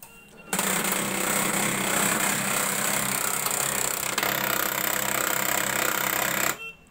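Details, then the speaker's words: HP printer at power-on: one gear turns but the lower/rear gear does not, giving a harsh, rapid rattling grind at about four beats a second for six seconds. Something is suspected stuck inside, obstructing the gear train. "इसमें problem यह है कि यह वाली gas तो चल रहा है लेकिन यह जो नीचे वाला हैं और नहीं चल पाता"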